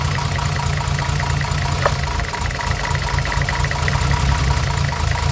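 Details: 1975 Mercedes 280SL M110 engine, unused 10+ years, with serviced injectors and new plugs, misfiring: rough, slightly lumpy idle sags as one plug lead is pulled, so that cylinder fires; misfire lies elsewhere.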